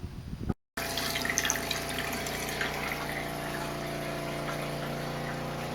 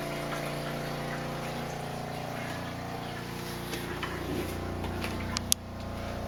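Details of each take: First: RV water pump after fitting an accumulator tank and pump silencing kit: steady low electric hum with faint water rush, even and subdued; runs smoothly and quieter than before. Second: RV water pump before silencing, heard inside the closed RV: steady droning hum with a buzzy pulse, loud throughout the cabin from pump vibration.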